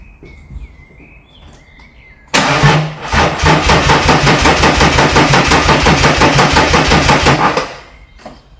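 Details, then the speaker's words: BMW M57D30 184 hp diesel from an E46 330d, swapped into an E36 compact with a 5-speed manual, cranked off the key on jump leads with no fuel yet: the starter spins it briskly, an even chug about three beats a second, no grinding or slipping. "So, as you can see, swings over off the key. So, that's a bonus."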